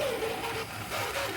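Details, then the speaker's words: Hornby 00 gauge Class 47 locomotive, about 20 years old with little use and a known dodgy gear. A gritty whirring with a wavering whine follows the motor and gets worse at higher speeds: worn gear noise. "hear that noise I I was almost about to say that's fine then but you need that irritating noise it gives off so yeah it's it does go a little bit when you put on higher speeds"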